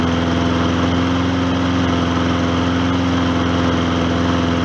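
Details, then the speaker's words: Old Hyper Tough lawnmower single-cylinder run on diesel oil after repair: briefly chokes, then levels out to a steady, even beat at constant speed with no knocks, misses or surging; repair deemed successful. "it's kind of choking itself a little bit but notice how it got leveled out and uh I'm gonna call that a successful repair"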